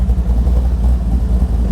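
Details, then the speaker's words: Big-block 540 V8 with new Edelbrock 850 CFM VRS 4150 carburetor, fully warmed up after idle mixture screw tuning: deep, steady burble with an even beat, no misses or knocks; idling at correct speed. "All right, we're definitely up to temp and it's idling where it should be."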